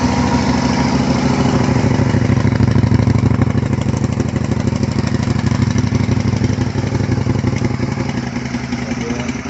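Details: 2004 Suzuki SV 650 (SVS), first start after fuel pump replacement: it catches and settles into a steady, even twin-cylinder idle of about three pulses a second, with no knocks or misfires. It runs healthy.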